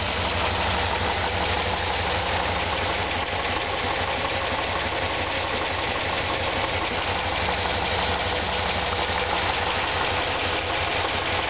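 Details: 1993 Dodge Dakota 5.2L (318) V8 at idle with a light repeating knock, about three a second, heard on the driver's side.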